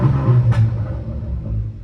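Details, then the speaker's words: Small 1.2 petrol car engine, cold, warming up before an oil change; one quick rev blip with a deep smooth rumble settling cleanly back to idle, no rattles or misfires. Engine sounds healthy. "And I mean, the engine sounds happy enough. I'm gonna let it warm up just for a second, because obviously I'm gonna do an oil change on it now. But I mean, and it sounds pretty good."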